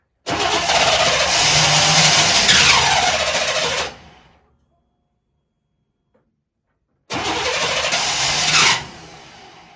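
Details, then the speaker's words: 1998 Chevrolet C1500 farm truck after new fuel filter and spark plugs, fuel pump cycled: long steady cranking that never catches, a pause, then more cranking; almost fires but won't start, cause unknown. "Oh, it almost went. And the buzzer came back on. 5 days later, and it never started."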